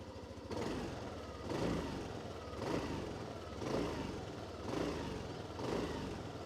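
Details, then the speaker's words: Yamaha Aerox 155 scooter with CVT, heard at the exhaust: soft, quiet putter with a gentle swell about once a second, no mechanical clatter; healthy, typical scooter idle. "Fancy looking exhaust, but the scooter sounds typical of other scooters here in the Indian market. Not too loud, nothing extraordinary, but good enough nevertheless."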